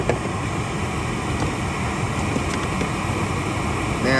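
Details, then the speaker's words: 2021 Toyota Camry, AC running during recharge, restricted cabin air filter pulled out: even airy blower rush drawing in much more air, no flutter or whistle; low side pressure barely changes. "it's pulling in a lot of air and you can see the low side air going up by tents"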